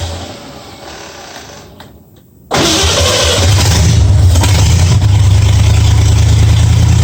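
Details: 1965 Mustang V8 with new headers, timing at 12 degrees before, after turning the front idle screw about three quarters of a turn: quiet moment, then catches and settles into a steady even low idle, no misses or knocks; sounds real good.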